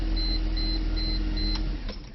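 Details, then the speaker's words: 2004 Mercedes C230 Kompressor after starter motor replacement for a no-start: starts and settles into steady even low idle with dash chimes, no misfire or knock; normal start and idle. "Alright, boom, starts."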